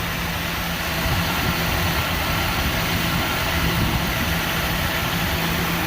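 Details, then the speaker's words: 1988 Jeep Wrangler YJ 4.2L straight-six carbureted, automatic, at idle after timing and carburetor adjustment (vacuum about 20 inches, idle raised to about 750 rpm, timing about 21° BTDC): smooth monotone exhaust drone, no more popping or missing; normal idle. "there's no more popping you know it's running a lot smoother yeah no more popping missing it's just a nice smooth monotone sound"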